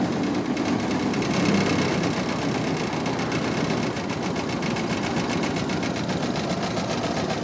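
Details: Barn-find 1929 Ford Model AA four-cylinder, first run in over 30 years, no coolant, cold: lumpy uneven idle with irregular tapping and no steady beat; seems to be missing on a cylinder.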